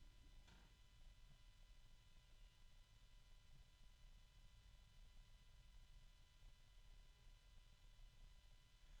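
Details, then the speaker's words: New small PC case fan with sleeve bearings and a 3-pin connector, spinning quietly: faint steady low hum with thin harmonic tones and slight rubbing. "Sleeve bearings. And it's pretty quiet. It won't stay that way because it's sleeve bearing. You can hear a little bit of rubbing."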